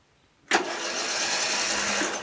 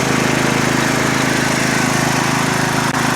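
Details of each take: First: Murray Select 12.5HP 40-inch lawn tractor, in neutral, choked, deck up: starter spins the engine fast and even with no compression pulses, freely spinning, indicating zero compression. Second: Murray lawn tractor started after opening fuel shutoff: smooth, even run with steady pitch, no misses or knocks; normal running, sounds great.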